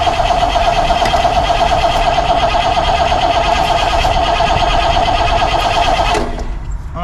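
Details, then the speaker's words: 1964 Pontiac Grand Prix 389 V8, unrun for years, starter jumped and coil hot-wired: starter whirs steadily with even cranking pulses about three a second, never fires; crank no start, no spark found, points suspected (rusted rotor/cap tab found). "to say we ain't got a spark let me uh check it real quick oh okay no spark so points it is"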